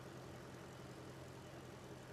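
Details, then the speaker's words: Jeep WJ Grand Cherokee 4.7 V8 with a shorter serpentine belt fitted because of a squealing worn AC compressor pulley bearing; charging, temperature and fan are fine. Steady, even idle hum with no belt squeal. Normal idle. "So everything's working as it should. We just haven't got the horrific squealing."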